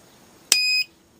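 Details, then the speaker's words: 1500 W 24 V inverter on a bench test from a series motorcycle and car battery; one short high beep at switch-on with initial current rush settling to about half an amp, then quiet; inverter working normally. "makes it squeak an initial and rush and it will settle down to about half an amp so that's a fully operating inverter"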